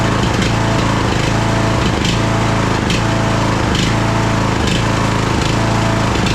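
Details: Craftsman DLT3000 lawn tractor engine, jump-started, oil level full: it labours unevenly with a heavy thump or pop about every second. It is running rough and backfiring through the carb, among its carburettor problems.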